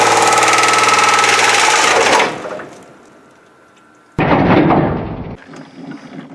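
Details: S10/Sonoma 4x4 4.3 V6, sat three years and reluctant to rev, run with oil drained, restarted and held flat out: a hard roar that suddenly dies, then a sharp bang and ragged sputter. Overheating though the gauge read under 125, smoke from the airbox, engine seized from oil starvation.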